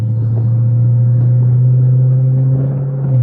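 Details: 2007 Chrysler 300C SRT8 V8 on a road drive, out of limp mode and shifting smoothly, under light throttle: deep smooth rumble swells evenly as it pulls, no misses or rattles; engine and exhaust sound healthy.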